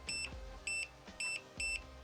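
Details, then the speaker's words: Self-leveling green laser level: short high-pitched beeps about twice a second in a quiet room until level; self-leveling laser level beep. "this Nifty little item and you probably can see the green flashing behind me and as you can hear a beeping it's because it's self-leveling it will tell you and"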